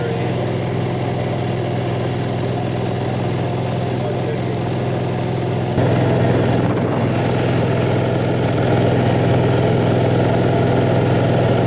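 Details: Newly installed Onan 5500 RV generator in a 1976 GMC Motorhome, compartment opened, pumping hot air: steady even drone at constant pitch, no misses, knocks or hunting; smooth idle.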